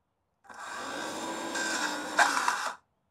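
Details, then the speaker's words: Motorcycle radiator cooling fan, wired directly to test after the bike overheated riding slowly, spins with a raspy, uneven, scratchy whirr; fan feels stiff, worn motor bearing, owner plans to grease it. "So you can you can hear it spinning. It don't sound good, does it? So I said it didn't feel right, didn't I? It feels a bit stiff."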